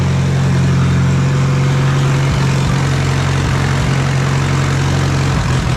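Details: Allis Chalmers B tractor gas engine, running on gasoline by itself after long repair work. A low, deep idle holds steady with only a couple of brief dips. Normal idle.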